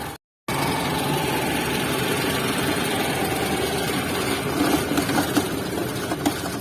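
Steady idle with a light, fast ticking riding over it from the top of the engine, pointing to valvetrain noise. Cause suspected, not confirmed.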